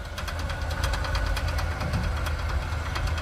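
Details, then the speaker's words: Three-speed car driven during Power Tour: steady light ticking, roughly seven knocks a second, over engine and road rumble; suspected zip tie on the drive shaft, not confirmed. "what is that okay so it did you put a zip tie on the drive shaft maybe that's probably what it is let me go look"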